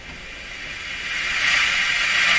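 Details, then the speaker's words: Grundig 2030 AM/FM tube radio after swapping the RF amplifier and detector tubes: an even, airy hiss swells louder with no program audible, showing improved operation; better EF89 tubes still needed. "okay so I could hear the hiss up here now so swapping those tubes actually improve the operation of the radio"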